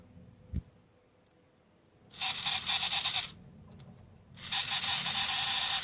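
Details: Hornby Intercity 125 model train motor, sold on eBay as a non-runner, running after a drop of oil on the pinion gear and gears: two thin, harsh screeching bursts of about a second each, from a dry armature bearing wanting oil.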